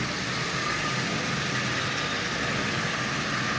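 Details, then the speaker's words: Marx micro motor modified with adapter, fitted to Santa Fe model train shell, pulling 12 cars: steady, even whirring hiss with no knocks or surges; normal running under load. "so just with the micro motor this is pulling 12 cars by itself as you see"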